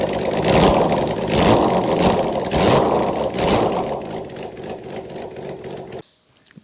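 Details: Honda CBX inline-six, first start in 20 years after a full carb rebuild, firing without exhaust: loud raw bark with blips swelling and easing back, all six cylinders firing and pulling cleanly. Normal running.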